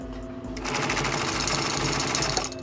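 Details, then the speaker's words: Singer 112 industrial sewing machine after tightening its loose leather drive belt: fast even stitching chatter starting and stopping cleanly with no slipping; belt now taut, machine sewing as it should. "but very nice exactly what it's supposed to do it's nice and taunt there's no trouble now"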